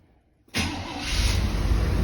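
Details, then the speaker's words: Chevrolet Silverado squarebody on its cleaned and refitted carburetor, before the Holley Sniper EFI install, started through the window without throttle linkage; fires at once into a strong steady rumble, secondaries opening: normal start. "oh yeah nice and one thing I noticed too was this thing boy the secondaries open up"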